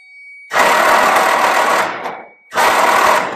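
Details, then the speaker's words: 1946 Willys Jeep flatfender with spark plugs removed, cranked on old starter via solenoid with poor cables: two bursts of fast, smooth, even starter whirring with no compression beats; normal cranking, starter and solenoid good. "we still don't have the spark plugs in and if you have oil or or anything gas whatever in the engine cylinder uh when you crank it over it's going to start blowing all of that out"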